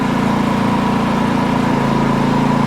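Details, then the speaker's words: Repaired Champion 4500 W dual-fuel inverter generator, eco mode off, 1200 W load on: about the same rpm with slight audible load, steady even constant-speed drone, smooth and regular; normal running. "And it doesn't change as much when you turn this on. About the same RPM, but you can tell there's a little bit of a load on it."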